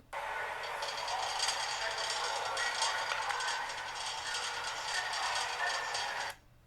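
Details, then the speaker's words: Electric motor with bearings rattling: harsh, gritty rattle with steady hiss; bearings audibly rattling loose despite vibration monitoring reporting nothing wrong. "Okay, so you should have heard the bearings um, rattling around a little bit."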